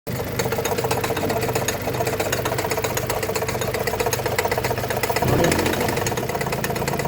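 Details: Engine knock on a Mazda 3 BK at idle: steady rapid ticking knock riding over the idle, about four beats a second, even and persistent, from inside the engine; cause unclear.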